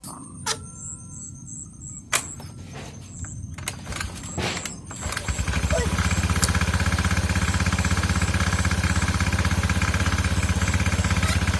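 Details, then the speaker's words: Scooter with a suddenly failed CVT roller that won't pull away: after a few quiet clicks the engine runs with a loud, coarse rattle pulsing about four times a second, harsher when revved; the CVT cover is then opened to inspect it. "tiba-tiba roller motor rusak bunyi berisik tidak mau jalan Pas digas bunyinya lebih hancur banget lebih Kasar banget tidak enak didengar teman-teman ya"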